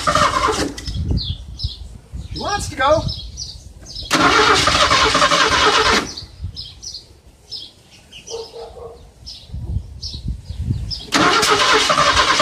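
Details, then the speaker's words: Ford Granada that sat almost 20 years: short cranking bursts catch and die after a couple of seconds with quiet gaps; fuel starvation, tank smells of varnish and isn't delivering gas. "I'm just I'm not getting the gas out of the tank I smelled the tank it smelled like varnish"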